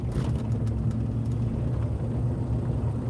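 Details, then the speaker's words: Car driving with steady low drone under road rumble, no clear knocking; owner suspects a bearing is making the noise, location not yet found. "Bobby, I got to figure out where this bearing's at. that keeps making this"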